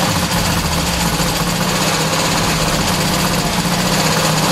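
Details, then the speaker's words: 1972 VW Super Beetle that sat a long time and reportedly wouldn't start: loud, busy clatter with uneven lumpy beat and no settled idle; owner suspects stale gas and slightly fouled plugs, carb clean and rebuild still needed. "from it's sitting uh for so long the gas is is going to be a little kind of funky it's not going to really want to run right the spark plugs are going to be a little bit fouled out but not too bad"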